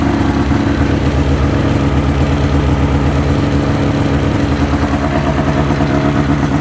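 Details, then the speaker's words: 2005 Ski-Doo MX-Z Renegade 600 H.O. SDI, warmed up, after a fuel pump, pressure regulator and strainer replacement fixing hard starting: steady, even two-stroke burble with no misfires or hunting. "two miles on it good running good riding machine once it got warmed up but this will make life a lot easier for us"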